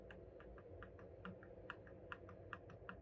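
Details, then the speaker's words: Yamaha Raptor 250 ATV engine torn down, cylinder head off, rod rocked by hand on the bench: sharp irregular metallic clicks from rod play; connecting rod bearing eaten up, explaining metal found in the oil filter. "we got some rod play the bearing is gone so that's the reason why we saw the metal in the filter is that bearing has been eaten up"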